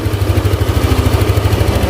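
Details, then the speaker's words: Yamaha Aerox scooter after repairing a rough knocking engine noise (camshaft bearings; camshaft had old weld repairs): engine ticks over steadily with an even low pulse, smooth when revved, no knocks or rattles; normal idle. "Nah jadi untuk suaranya kembali lagi normal halus tuh kita mau digeber juga halus banget ya"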